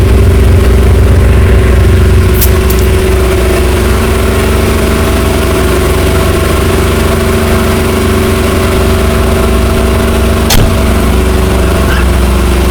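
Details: 1963 Chrysler Newport with a V8, just revived after sitting, smoking: steady, even low rumble at idle with no knocks, misses or stumble off idle, running smoothly despite the smoke, a normal idle.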